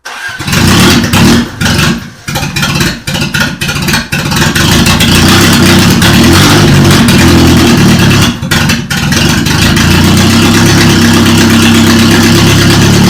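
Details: Toyota Corolla first start after engine reinstall: cranks, stumbles a few times, then catches and settles into a steady, even idle with no knocks or misses.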